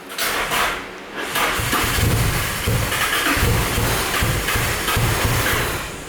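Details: Nissan 350Z DE single-turbo build with igniter chip bypass, ECU stuck in open loop, sat a while: uneven cranking around four beats a second with spitting, stumbling catches, never runs; suspected flooded and rich from earlier cranking, black smoke.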